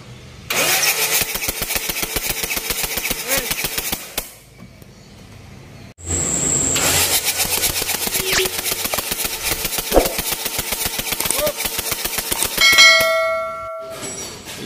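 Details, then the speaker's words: Mitsubishi Triton HDX common-rail diesel, injector test before replacement: fires with uneven clattery rattle, stops, restarts and runs unevenly; hard morning starts, thick smoke, weak power blamed on faulty injectors; pressure calibrated adequate. "untuk udaranya saat pagi susah hidup asapnya tebal tenaganya lemah Itu sudah pasti injectornya yang kena"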